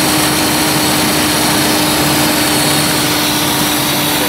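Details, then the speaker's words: 2007 Chrysler Town & Country with code P0480, after replacing the cooling fan relay, engine idling with AC on; loud, even rushing air with a steady hum and no ticking or rubbing. Normal cooling fan operation. "Oh yeah, fans are spinning. That's it. That's an easy fix."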